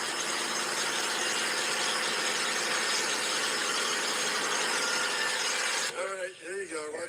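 A loud, steady high-pitched squeal rides over the running engine for several seconds, then cuts off abruptly; cause not pinned down.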